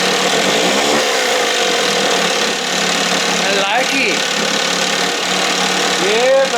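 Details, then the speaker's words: 1968 Evinrude 6 hp two-stroke outboard on a stand in a water tank, throttle just above timing mark, running warm: steady buzzy even note, no misses or surging; running smoothly, a touch soft ("fluffy"). "you sound good a little fluffy"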